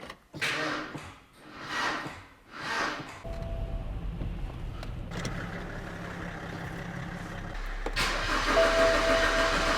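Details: BMW E92 320i with a suspected blown engine, cranked after a new fuel pressure sensor and 4.25 L of oil: three slow, heavy cranking pulses, then a rough, uneven drone; engine sounds badly damaged.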